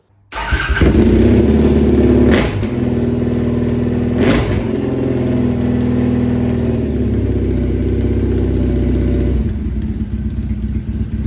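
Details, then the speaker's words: Triumph Bonneville SE 865 after fitting D&D Predator aftermarket silencers replacing stock units, started in garage: two sharp rev blips then a loud, deep booming idle, far louder than stock. "okay definitely a big difference it sounds bad in in here in the garage you have to say um it won't be quite as bad out in the open road"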